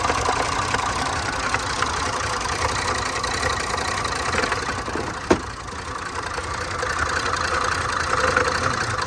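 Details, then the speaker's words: Range Rover supercharged V8 with misfire, weakness, fuel and cam codes; idle with oil filler cap removed runs nearly smooth, mostly even with an occasional small stumble and one sharp catch; faint misfire remains, cause unconfirmed. "أول ما فكينا غطي الزيت الماكينة ارتاحت. ما شاء الله بدون غطا الزيت صافية، شبه صافية يعني بتعترض اهي."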